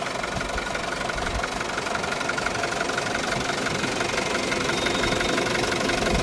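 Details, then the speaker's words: Isuzu D-Max 2.5 TD diesel, 2021 model, 48,000 km: started on a single crank, steady even diesel clatter at warm idle with no stray knocks or speed hunting; engine running healthy. "So engine sound అయితే గమనించొచ్చు అండి మీరు single self లో మనకి start అయినది అవింది బండి విధంగా చాలా బాగుంది ఇబ్బంది ఏమి"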